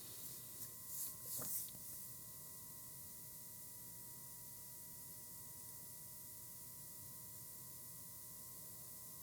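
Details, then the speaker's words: YC Onion motorized camera slider running at slow speed, around 30 speed, below 50%: faint steady whine with higher overtone; motor hums or hisses at low speed. "when it's at the slower speed the motor actually tends to hiss or hum"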